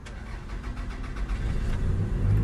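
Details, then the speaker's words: Cold start of a Toyota Camry with 115,000 miles, parked about six years. Oil was checked and looked clean, and the tank is full. Brief cranking catches quickly into a steady, even low idle with no knocks or misses: a healthy start. "It's gonna start, and it sounds healthy."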